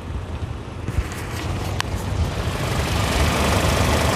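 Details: 2017 Toyota Innova G manual, about 60,000 km, hydraulic power steering: steady engine idle with a smooth rising hiss as the wheel turns, no clunking or knocking, power steering healthy.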